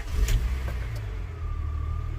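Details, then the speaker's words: 1998 Honda Accord 3.0 V6, bought for $200, running after replacing the known-faulty dual (main) relay; earlier ran only on ether until fuel pump swapped. Deep, smooth note rising briefly on throttle then settling, no knocks or misses: normal revving, engine runs mint. "so plugged it in and now it's firing up so that's that's always a bonus I just owe 200 bucks this engine runs mint"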